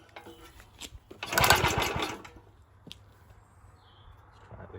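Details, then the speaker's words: Very early 1954-55 Suffolk Model 1A engine, cold, on a borrowed fuel tank, choked, good spark and adequate compression; short pull gives quick rough chuffing but never catches, no fuel getting through the original carburettor, owner thinks. "I think we've got a lovely spark and we have got what should be enough compression through it to at least fire at the dogs so obviously we're not getting any fuel through that carburetor"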